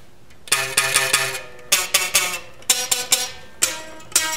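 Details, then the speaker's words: Bass guitar with action far too low and a flat neck with no relief: plucked notes ring with a bright metallic sizzle on each attack, buzzing all the way up the neck, before raising the saddles and adjusting the truss rod. "All the way up to the neck is buzzing. So I gotta get some relief on a flat neck and raise the saddles up."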